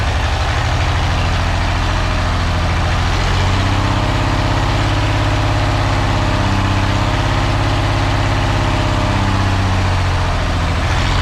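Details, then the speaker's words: Engine at low idle with an uneven, lumpy beat as a cylinder keeps dropping out; still missing after running, owner suspects one plug wire lying against another causing crossfire misfire. "still missing todd don't usually miss i just had add one wire up against the other one"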